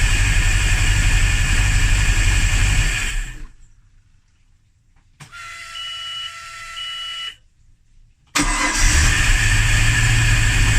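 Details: Hard start, fuel pressure checked and good: long even cranking at about four beats a second, a pause with a chime, then cranking again before it finally catches; owner suspects spark or timing, not confirmed.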